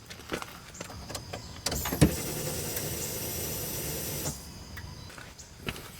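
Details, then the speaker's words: 2005 Dodge Grand Caravan with a crank no-start (later traced to a shorted EGR on the 5-volt reference): at key-on, a faint electric whir of about 2.5 seconds, then it stops; normal fuel pump prime. "Okay, I heard it turn on, so that's a pretty good start."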